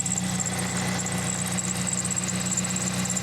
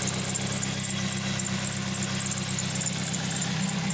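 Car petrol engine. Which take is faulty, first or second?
second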